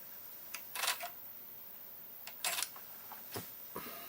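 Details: TEAC V-900X cassette deck after a belt change and adjustment of the pause potentiometer on the lift/door control board: crisp mechanical clicks and soft clunks as the transport pulls in and engages cleanly; fixed.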